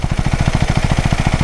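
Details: KTM Duke 390 motorcycle described as in very bad condition: heavy, uneven low thumping at idle, about eleven beats a second, with a rough clattery edge. Abnormal engine noise, cause unclear.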